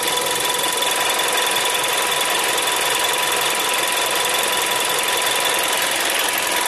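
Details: Seat Leon TSI 140, warm engine at idle: fast, uneven ticking clatter, about 160 per minute, over a hissy background; source not identified.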